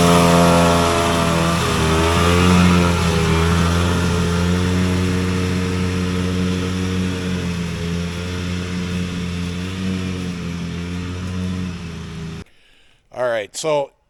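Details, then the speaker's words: Vintage Polaris Colt single-cylinder two-stroke race snowmobile on a warm, humid day revs up, then stumbles and sags in pitch instead of pulling cleanly; it felt fat rich, so they chose to richen rather than lean it. A bog. "it felt like it was just fat rich and today is warm and humid actually feels like it could rain which leads us to Fat rich"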